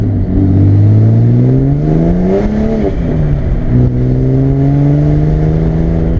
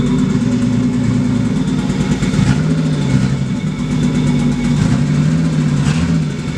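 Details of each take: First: Barra-swapped Mustang drift car after the faulty cylinder-one injector was replaced with stock FG injectors: strong, clean engine note climbs and settles through several blips, smooth and even, no misfire or knocking; normal revving. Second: Barra-swapped Mustang drift car: lumpy, hunting, stumbling idle, running very poorly; AFRs pegged lean over 17, cylinder one reading 40% colder, its injector not popping off; misfire from faulty injector, fixed by replacing injectors.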